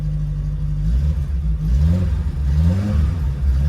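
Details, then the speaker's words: VW Polo breadvan, 115,711 on the clock, carburettor engine after sitting perhaps 2–3 weeks, new cam belt, full service and carb flange done; started on a little choke, catches and settles, throttle blips rise and fall cleanly with no knocks. Normal running, sounds beautiful. "Just got a tweak in the carburetor now. A little bit of choke on. Sounds beautiful."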